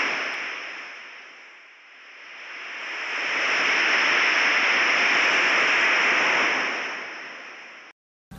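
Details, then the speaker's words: HVAC system slowly losing its refrigerant charge, heard through an AccuTrak VPE ultrasonic leak detector scanning the condenser enclosure: steady high hiss swells near the refrigerant line, holds, then fades, pinpointing the leak. "here the technician is already able to hear the refrigerant leaking upon closer inspection the technician is able to easily pinpoint the leak in the refrigerant line"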